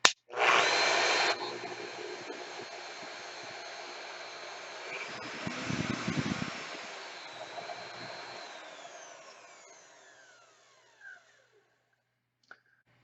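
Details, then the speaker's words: Milwaukee 5616-20 13 A variable-speed router after bottom main bearing replacement (it had run rough with a dry-sounding bearing), first start on lowest speed setting 1: quiet, even motor hum winding down smoothly, no rumble or grinding; normal running, smoother than before. "feels smoother than it did before and once i get out and cutting with it i'll definitely know a difference"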